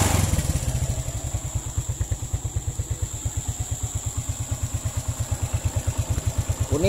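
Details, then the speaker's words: Suzuki Smash / Shogun SP 125 motorcycle, previously with lost ignition and total failure, repaired and idling without a battery on a local regulator-rectifier (kiprok): even, regular thumping at about seven beats a second with no misses, a smooth healthy idle. "ini tanpa aki baru bisa normal dan kita gunakan kiprok yang lokal"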